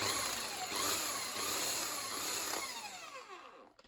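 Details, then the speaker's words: Bosch AHS 40-24 corded hedge trimmer, salvaged from a skip, with a crusty blade, as the blades are being oiled: a steady, high, buzzing whir from the cutter drive, even and free of knocks, fading out as it stops. Normal running. "And it does stop instantly. You let go of the handle. That's that safety feature thing happening."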